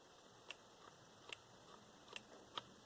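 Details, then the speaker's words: Cheap eBay Makita-clone cordless impact wrench, dead after 20 days of use: faint sharp clicks about once a second when triggered, with no motor rotation. Owner suspects a burnt-out control board not sending power to the motor. Cause unconfirmed. "And this one, as you can see, no longer rotates."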